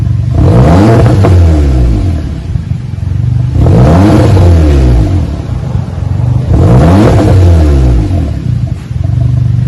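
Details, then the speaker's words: 2015 VW GTI 4-cylinder turbo with rear mufflers and mid resonator deleted, Y pipe to 2.5-inch dual pipes: three throttle blips, each a deep, loud, raspy unmuffled drone. "Give it a little rumble to it, and to get a little more sound out of it, took the mid resonator muffler off of it. That big resonator sucks a lot of sound out of it. Should give it some sound."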